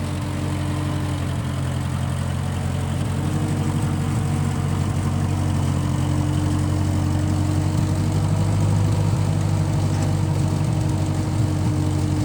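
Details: 1955 Massey Ferguson MF65 tractor, in family 30+ years, restarted after sitting a couple years; carb cleaned, Marvel Schebler carb may need slight dialing in. Even low four-cylinder beat at steady speed, no misses, knocks or surging; normal running.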